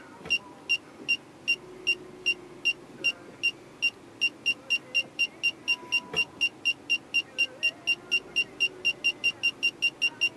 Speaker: so here I'm going to do another test where I'll walk up to the back of the vehicle and as I get closer you hear the chirping get faster and faster until the chirping becomes constant